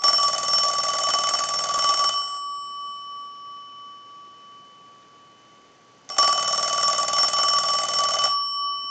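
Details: Western Electric rotary desk Princess telephone, final checkout after repair, ringing from the analyzer since the bell was one of the faults: two clean, bright, steady rings about two seconds each with even clapper, no buzz or dead strokes; ringer healthy.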